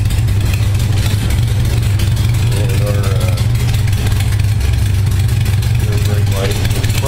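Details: 1978 Honda Goldwing warming after a cold start, following carburettor sync, about 52°F ambient; smooth, even low idle near 600 rpm with a steady beat, no stumbles or misfires. Idle speeds up slightly once warm.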